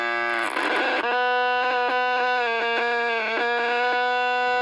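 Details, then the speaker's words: Mid-60s Panasonic R1326 AM 8-transistor 9-volt radio: steady buzzy one-pitch squeal, stuttering briefly now and then; oscillation traced with a signal generator to an open volume control. "So as I said, I just continued to work with this and use the signal generator to track down the audio signal, and began to isolate the problem in the volume control area."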